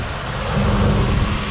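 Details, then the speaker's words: 1996 Ford Ranger 2WD 4.0L V6 after top-end overhaul and new exhaust manifold bolts, gauges normal: petrol engine idles with a steady, even low rumble, no knocks, ticks, misses or exhaust leaks. "our exhaust leaks give you a little wrap perfect super clean guys super clean sounding like i said guys i can't ask for much more"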